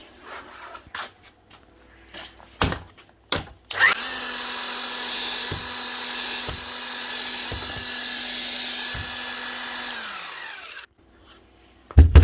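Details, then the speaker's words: Old Hilti TE 705 demolition hammer, customer says it runs but won't hammer; motor whirs steadily with no hammer blows at all, suspected jammed internally or stripped: seized tool holder, no hammer action. "Yeah, so this one is a very long shot. It's not doing anything at all. It's not even getting a slight kick out of it."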